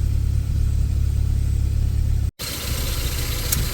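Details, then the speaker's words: 1980 Porsche 924, mechanical fuel injection, idling fairly cold just after cold start: steady low idle with a faint even buzz from the CIS mixture valve, normal. "Video of it idling, fairly cold. You can hear the buzzing is the CISE mixture valve."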